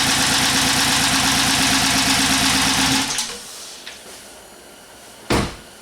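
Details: 2011 Chrysler 300 5.7 V8 with P0300/P0302 codes; scope shows fewer than eight pulses per cycle. Idle has a steady chuffing beat, about three per second, with an uneven gap, then shuts off; dead cylinder misfire.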